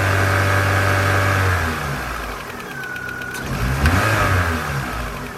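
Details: 2001 Vauxhall/Opel Corsa C 1.4 16V, warm engine idling and blipped: a light, fairly regular ticking, about four a second, that grows louder the longer the engine runs.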